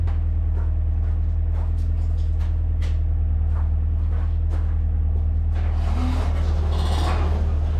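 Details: VW Mark II Polo GT Breadvan on a test drive after refuelling, cutting out confirmed as running out of petrol: deep steady engine hum with an even drone, no knocks, misses or rattles; running fine.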